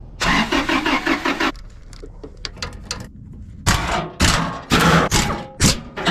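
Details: 1996-2002 Toyota 4Runner: starter cranks engine briskly in several short tries but it never fires; no start from failed fuel pump not delivering fuel, fixed by fuel pump replacement.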